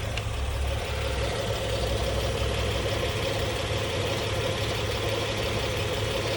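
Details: Engine idling after hydraulic tensioner replacement: smooth, even idle with steady low hum, no ticking or rattle from the front of the engine; earlier noise gone.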